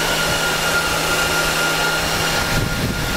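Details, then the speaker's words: Dell PowerEdge 2950 II server after a change such as swapped RAM: loud steady rushing whir with a constant high whine, fans pinned at full speed during the self-check with LED indicators blue, then slowly ramping down. "you'll get full fan speed until it's checked itself and you can see our led indicator lights have gone blue and we're actually currently on full fan speed at the moment so that's what it sounds like you'll hear it slowly ramping down"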